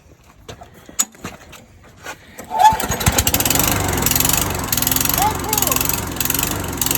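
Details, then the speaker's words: Lawnmower that was seized, after fix including dust cleaning and oil change; a few clatters, then the engine catches on one pull and settles into a steady, even run: normal start and run. "Alright, here you go. I just fixed it. One pull. You saw that? One pull."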